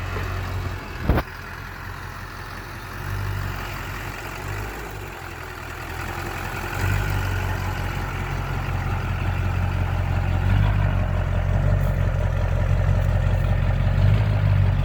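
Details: LB7 Duramax diesel truck after repairing a crank-no-start (loose crank reluctor wheel, injectors not firing, crank position sensor code): low steady diesel rumble settling into an even idle, no misses or knocks; running healthy.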